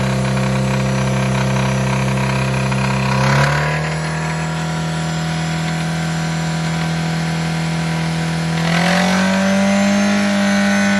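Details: 2002 Toyota MR2 Spyder, 86.7k miles, petrol engine revving up and settling with a regular knock about three or four per second; knock inconsistent, peaks near 3000 rpm, quieter at higher rpm and at idle, seemingly top right of engine bay; owner fears rods.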